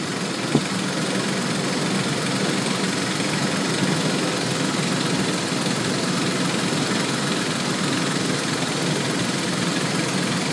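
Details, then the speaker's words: 2001 Ford Explorer 4.0L with codes P0113 and MAF circuit low, idle at MAF test: steady, not skipping, with a faint fast light ticking, possibly valve chatter, nothing conclusive. "So, well, I'll start it up. And it sounds like she got a little bit of valve chatter."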